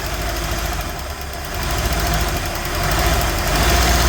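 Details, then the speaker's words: 1969 Chevelle barn find with a small-block Chevy V8, restarted after sitting and lacking a throttle return spring: a rough idle with a steady whirring rattle that follows engine speed. Worn water pump bearings. "Your water pump is scary. Stand back. The water pump bearings are scary."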